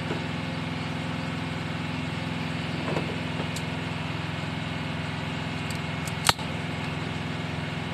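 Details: Mitsubishi L300 petrol that only clicked when cranking despite several starter services, after fitting a starter relay wired from the battery: steady even idle, smooth low hum, one brief click; engine runs cleanly.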